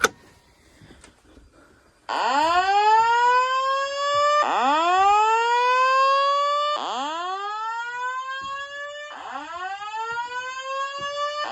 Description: In this video I’m doing a walk test on my voice evac panel and my horn strobes